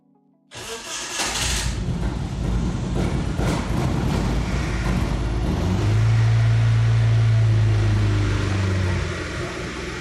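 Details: Ford turbo engine swap conversion with no proper idle and suspect wiring: the engine catches and runs, but the idle hunts and surges with an uneven, lumpy beat and never settles; rough idle, cause still being investigated.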